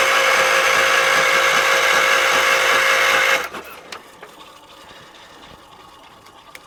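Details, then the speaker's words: 1978 Wheel Horse C-121 garden tractor on jump box: even cranking about four turns a second for three seconds, never fires; power reaches the coil but no spark comes out. "So there's power going to the coil, but there's nothing coming out."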